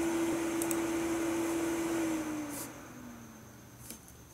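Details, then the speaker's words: Mid-2011 21.5-inch iMac with a Core i5, whose fan had run stuck at high speed since 2015. After setting Macs Fan Control to a 50° start and 90° max, the loud whir drops to a quiet, normal speed. "you can see the fairness is now quite easy now running it a proper proper rpm and I'm so happy I was delighted"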